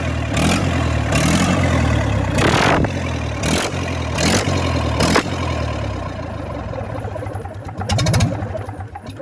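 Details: Freshly restored Gardner 4LK four-cylinder diesel, cold: steady even idle knock, about four per second, firing on all four cylinders; healthy-running engine.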